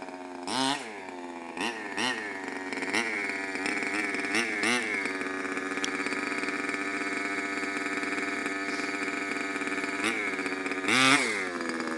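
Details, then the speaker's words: CY 23cc two-stroke in a Mutilator-6 R/C buggy. The high-speed needle is deliberately turned out half a turn, far too rich. The engine burbles unevenly with blips and sags and never clears into a clean scream. "I'm going to take the high speed, crank it out half a turn, which is excessive. It'll start, but it won't run very well."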